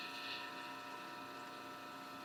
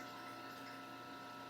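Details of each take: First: Homemade rotary phase converter idler motor after adding an extra run capacitor; steady hum with a hissy swell coming and going every few seconds, amperage seemingly fluctuating more; motor surging from excess run capacitance. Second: Homemade rotary phase converter idler motor after removing the extra run capacitor again; even, steady hum at constant pitch, earlier surging noise gone, run amperage stable rather than fluctuating; normal running.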